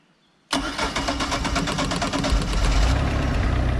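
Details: Mercruiser boat engine after starter solenoid replacement, key turned without pumping: silence, then it catches instantly and settles into a steady, even idle with no long cranking or stumbling; normal start.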